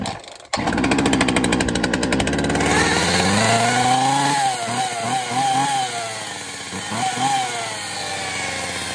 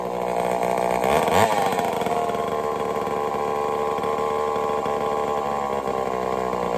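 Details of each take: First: Poulan 2150 chainsaw rescued from the trash, drop-started on test fire: buzzy two-stroke note revving with a wavering rising whine; clutch worn out. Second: Homelite Super XL-923 82cc chainsaw test-fired after tuning: sharp blip up to a high, steady two-stroke scream with no bogging. Slightly rich on the low-speed circuit, very loud, snappy; running normally.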